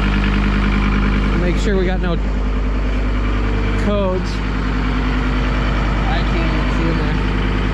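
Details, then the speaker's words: John Deere 326D skid steer diesel after broken-crank engine repair and over a year sitting, first run, coolant not yet added: steady, even idle with a regular low throb, no knocks or misses; running normally. "i got no coolant in it because i'm gonna put that in now that it's running sounds good though"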